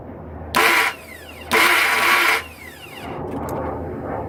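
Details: 2002 Ford F-150 XLT 4.2L V6 automatic 2WD won't start: short bursts of grinding/whining when cranked, starter seemingly not fully engaging the flexplate; starts only after the crankshaft is turned manually with a ratchet.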